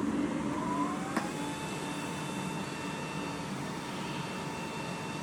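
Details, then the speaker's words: Fresh Ventilation inline centrifugal fan with an AC motor running at full speed; even rushing airflow with a steady mid-pitched hum and no rattles or pulsing, about 525–530 m³/h through a 100 mm hood. Normal running. "So, firstly, we're going to plug in the AC motor so that you can hear it. So that's the AC motor running at full speed now."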